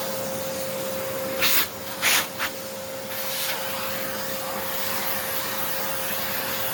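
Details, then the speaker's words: Hoover Encore U4595 upright vacuum, partially refurbished: even, steady motor whine with constant airflow hiss during a short test run; motor runs smoothly, though the bottom motor bearing is still unchecked. "Oh, I think that works. That sounds really good."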